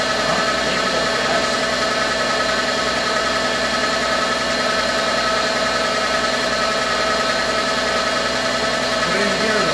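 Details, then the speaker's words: VW B5 idling on first start after sitting 1.5 years, oil primed first: light quick ticking on top, suspected sticky lifter from storage, plus a thin steady squeal from the power steering pump typical of this generation. "anyone familiar with cars or volkswagens from this generation has that squealy power steering pump that i forgot about oh no there's no tension on the ground so you won't hear it but you can hear it uh sounds like clearly a sticky lifter from not running in a year"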